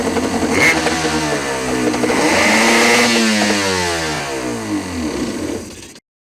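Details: Yamaha RA700S Wave Raider two-stroke after carb rebuild with new kit (previously would only run on a prime, wouldn't start): revs up and eases back with a clean, even buzz, no misses or stumbles; normal running, purrs.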